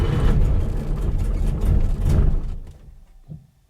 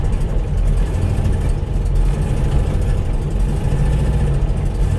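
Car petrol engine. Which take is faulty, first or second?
first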